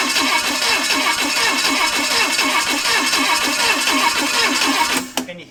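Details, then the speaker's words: Chevy 283 small block V8 run with one head on four cylinders, homemade gasket blocking coolant ports, uncooled, mic by exhaust, oil coming up: lumpy, loping exhaust beat about three times a second; uneven firing on four cylinders. "hear the exhaust go right down by the exhaust with the mic you can hear one two three four one two three four I've never heard that before it's weird"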